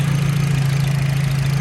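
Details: 1996 Audi B5 after new spark plugs and coils repositioned away from heat, starts first time, warming up; steady even low idle hum with no rubbing or scraping.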